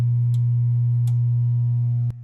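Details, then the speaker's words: 1978 Williams Phoenix pinball sound board after recapping: a loud, steady low hum with buzzy overtones and no sounds, the board not booting. Capacitors were not the cause; a replacement 6802 CPU is suspected, not confirmed. "let's go ahead and turn this on and just see if anything's different and just as I thought we still get the loud hum out of it"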